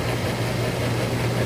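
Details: HVAC unit after refrigerant recovery work, just switched on with power at the unit: steady low compressor hum with even, unbroken drone, no clatter or squeal; running normally.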